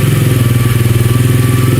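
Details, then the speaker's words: SSR 125 pit bike after cleaning a blocked pilot jet (engine used to die with choke off): steady, even single-cylinder thump idling with choke off, no stumbling or hunting; normal idle, power restored. "so now the bike's idling with the choke off this thing is have some power like it used to"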